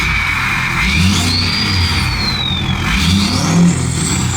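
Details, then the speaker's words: 6.7L Powerstroke with a new KC Stage 2 turbo and AMDP tune: the deep diesel roar climbs on a quick free-rev blip while the turbo whistle rises and falls cleanly, sounding healthy. "Clean tuning too. AMDP tunes are really clean."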